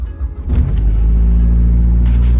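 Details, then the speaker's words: 2008 Mazdaspeed3 after a 2.3L-to-2.5L block swap (cylinder 4 had died), next-morning cold start: quick crank catches in half a second, then a steady, even low idle; no timing chain rattle, only a motor-mount rattle, so the timing job is good. "Oh, and the car cold starts. That was very important. If the car cold starts properly, no rattles other than the BS rattle from the motor mount."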